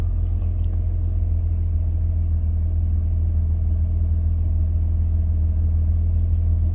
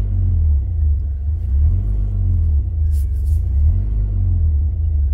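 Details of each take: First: 2003 Mitsubishi Pajero NP, 3.8L V6 automatic, after a MAF sensor (P0100) fix with codes cleared: steady, even low rumble with no hunting or hesitation; normal smooth idle. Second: 2003 Mitsubishi Pajero NP 3.8L V6 automatic, check engine and traction control lights on, code P0100 MAF circuit: low idle surging and sagging every couple of seconds, hesitation and loss of power; faulty mass airflow sensor.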